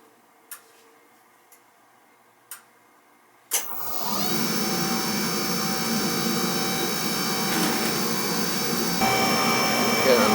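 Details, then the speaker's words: Oil burner in a house with no heat, after transformer change with air left in pump and filter container: a few clicks, then burner lights to a steady roar with faint uneven hiss; air still being bled from fuel pump. "I just want to make sure I get all the air out cuz I left air in the container here it comes"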